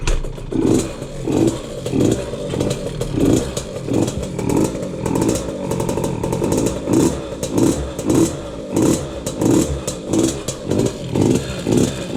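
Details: 2003 KTM 50 Mini Adventure 50cc oil-injected two-stroke, long sat, choke off: surging and dying in repeated blips, can't hold idle, bogs on throttle; owner suspects rich running from jetting or extra oil added to premixed gas.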